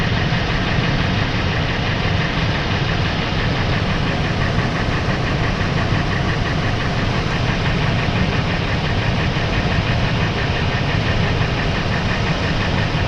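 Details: Ford 5.4 V8 idling after warm-up: steady light ticking knock riding over the exhaust note; owner suspects piston slap, not confirmed.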